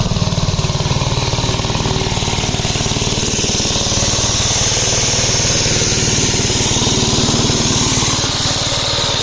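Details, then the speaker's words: 1961 Gravely L tractor engine at its set throttle speed before governor replacement: uneven, hunting single-cylinder beat with a faint chatter over the exhaust; the governor is failing. "The first indication that I got the governor wasn't working as that noise you heard."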